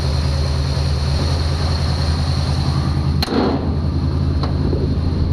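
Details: 1966 Chevy truck, started to check for leaks before warm-up; one sharp click then a steady, low, even idle with no stumble or hunting, engine running smoothly.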